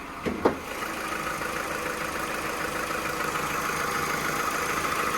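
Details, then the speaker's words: Cheap salvage-auction car with no turbo, oil leaking from the cam cover: after a couple of blips it settles to an even, quiet idle; owner earlier thought it sounded like a leak. "It's ticking over really well, though. Yeah, it's ticking over really well."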